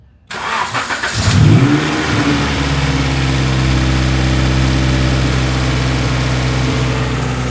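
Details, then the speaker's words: 1992 Honda Civic CX hatchback (EG) with B18C swap, after engine mount replacement during a refresh: quick crank, flares up, then settles to a steady, even idle with no knocks; sounds healthy. "Sounds good. Just like when we put that stock ECU in."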